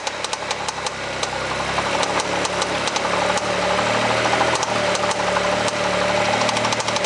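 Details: Mitsubishi 3000GT after 10 track laps with very high oil temperature, Motul 300V 15W-50 oil: sharp uneven knocks about two per second at light throttle, growing with revs; engine knock, owner fears rod knock, undiagnosed.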